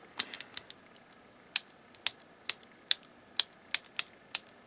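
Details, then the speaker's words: Harman Kardon HK 725 1980s stereo preamp, push-button switch bank after cleaning and silicone lubrication: crisp, clean single clicks, each latching and releasing sharply with no scratch or drag; switches working normally. "it's working normally everything's good"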